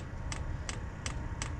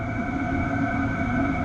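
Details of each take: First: Hcalory TB1-SE diesel heater during first start on a 15°F morning; crisp regular ticking about three times a second over faint fan hum as it tries to light, no heat yet; error 10 followed, cause unconfirmed. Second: Hcalory TB1-SE diesel heater slowing down to level 3 via the app, in 8°C ambient air; smooth, even whirr with a faint steady whistle and no rattles or surging, running normally on low.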